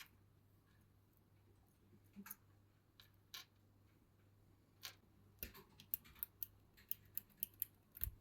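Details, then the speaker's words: Mechanical keyboard key with Outemu Silent switches: sharp, dry clicks in a quiet room. The click comes from the separate keycap mechanism, not the switch; gluing it with superglue is given as the fix. "были бы кнопки монолитные они бы не щёлка так как они раздельные вот этот механизм как раз щёлкает"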